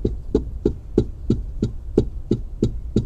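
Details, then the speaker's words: Nissan Terrano, cluster meter removed, panel struck by hand: sharp hollow knocks about three a second from a loose metal strip, likely left loose when the dashboard was previously opened elsewhere; fix is tightening the strip. "कि आर्य ना तो यह dash board इसका खुलेगा खुलने के बाद यह पत्ती टाइट होगी पत्ती इसके डोंट लूज है"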